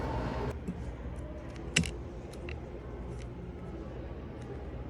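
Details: iPhone 11 vibration motor after tightening its three screws: a steady, low, smooth buzz free of rattle, with a few handling clicks; normal vibration once fixed.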